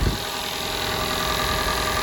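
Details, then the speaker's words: Toyota Camry 2.5 L four-cylinder petrol, cold start, heard under the hood: steady idle with light, consistent rolling rattle that never changes; normal cold start idle. "there's a little bit of a rly noise here too as you can hear cold start it's a little bit of a slight noise there but it's consistent and it's rolling rattling noise very similar to the mercedesbenz actually"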